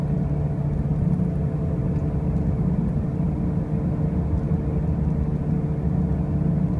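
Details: 2005 Pontiac Grand Prix with brand new wheel bearings and new tires: a constant heavy low drone and rumble at road speed with no clear tone or knock; a loud driving noise of unclear origin.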